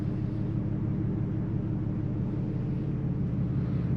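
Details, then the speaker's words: 2010 Dodge Charger 3.5L V6, after timing belt, water pump and thermostat replacement with fluids topped up: quiet, smooth, even idle with no tapping, whine or vibration. It runs healthy. "Yeah. She's running good. She's running good. Sounds quiet. Sounds even. There's no vibration."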